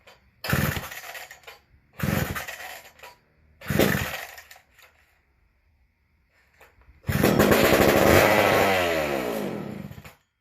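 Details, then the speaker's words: McCulloch Super Pro 125c chainsaw first fire after cleaning, new intake boot and new old stock muffler (leaking, gasket pending), primed down the carb, decompression on: three pops as it catches, clean rev and fall back; starts and revs freely, some smoke. "So had a little bit too much down there, one smoke. So all right, sounds pretty good."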